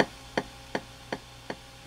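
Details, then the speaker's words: Oberheim DXa drum machine after broken fader replacement and soldering repair: crisp, evenly spaced metronome clicks about 160 a minute over a faint hum; metronome working as it should. "That's the metronome. So if we go into record mode, you should be able to hear"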